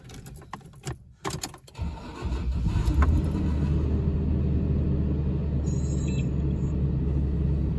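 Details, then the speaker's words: 2006 Toyota Tundra 1GR-FE V6, cold start: key rattle, brief crank with a short metallic clatter, then a steady even idle; restarted after warming up it sounds more normal; cause suspected, not confirmed. "Now that it's warmed up a little bit, let me shut it off and then restart it and see what happens. And it sounds more normal."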